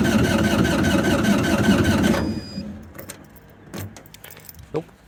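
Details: GreenMech Quad Chip wood chipper diesel, yearly service: steady starter churning about three turns a second for two seconds, no firing, then stops; air-locked fuel system, bled later at the three injectors.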